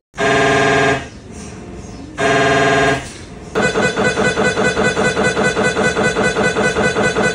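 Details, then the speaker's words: Normal MRI scanner noise heard from a tube-like, open-ended machine with a powerful magnet: loud droning tone bursts, then fast rhythmic buzzing knocks about three per second. This noise can frighten patients, especially those with claustrophobia. "ಈ MRI ಮಾಡಿದ sound ಭಾಳ ಹೆದರಿಕೆ ಆಗುತ್ತೆ. ಇದು ಯಾವ ಥರ sound ಮಾಡುತ್ತೆ ನಾನು ತೋರಿಸ್ತೀನಿ ನೋಡಿ, ಕೇಳ್ಬೋದು."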